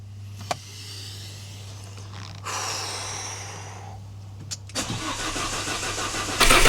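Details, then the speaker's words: Alfa Romeo Giulietta Cloverleaf that was using coolant, first start after repairs, no dash warning lights: cranks, catches, briefly ticks, possibly oil pressure or variable valve timing solenoids, then smooth even idle; normal. "Oh my goodness. Well, it runs, which I am bloody relieved about."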